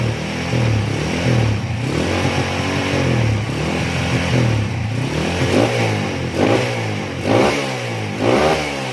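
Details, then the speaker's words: Honda CB/GL/MP/Tiger single-cylinder motorcycle after changing ignition timing to 17.5 degrees to fix kick-starter kickback: three quick clean throttle blips dropping back to steady idle; normal revving. "Baik, kita coba hidupkan. Oke, untuk lamsannya oke ya. Untuk gas-gasannya kita lihat di sini."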